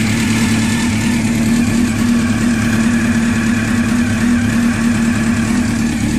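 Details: Honda CBR600F motorcycle idling: fast, light ticking over the exhaust note from the engine; the owner does not know the cause.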